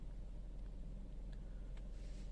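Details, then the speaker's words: Suzuki Baleno (Maruti), AC off, heard from inside the cabin: only a faint, low, even hum with no ticks or vibration; smooth, quiet, refined idle. "यह देखिए मेरे सामने खड़ी Maruti silent है"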